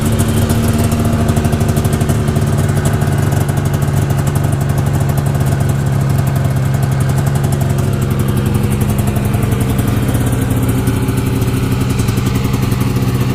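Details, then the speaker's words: 1992 Yamaha Venture XL VT-480S two-stroke snowmobile after maintenance, new spark plugs and carburetor adjustment, cold start after a week with choke and a little throttle: fires and holds a steady, crisp idle; healthy and well tuned. "so i'm going to start it up this is a cold start i haven't started it in about a week so i'm gonna give it a little choke here a little throttle"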